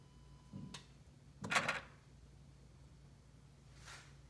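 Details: 2011 BMW E93, engine off and car locked, on charger: every 25-30 seconds a faint hum then sharp mechanical clicks like door locks from front engine-bay middle area; a module keeps cycling, car fails to sleep, draining the battery.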